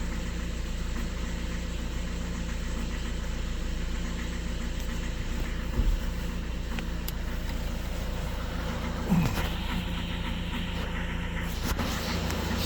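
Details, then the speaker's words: 2013 Skoda Octavia A7 1.6 TDI diesel, 188,000 km, cold idle: shakes and stumbles with a dull uneven beat, as if one cylinder is dead, with injector correction problems; knock disappears once warm. Cause suspected, unconfirmed. "Нерівномірно. Таке враження, що один поршень відключений."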